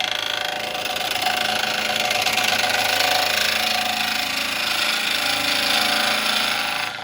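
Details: Hollowing a walnut burr bowl on the lathe, taking off high spots: steady hissing cut with rapid chattering pulse about four a second as the tool bounces over remaining high spots.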